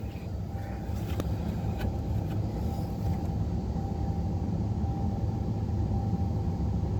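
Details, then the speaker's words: Ford 7.3 IDI diesel with newly fitted vacuum pump: deep steady idle rumble with even beat, no odd knocks; gauge shows 22 inches of vacuum at idle, exactly as specified. "There, 22 inches of vacuum, exactly what it's supposed to have at idle."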